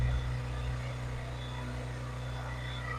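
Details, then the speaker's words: Kohler marine genset on a boat, test run with the shield off after a spark plug change for a low-output issue, with no load applied. A steady low hum with an even note and no misses or knocks. Running smoothly. "So let's give her a shot. Running pretty smoothly."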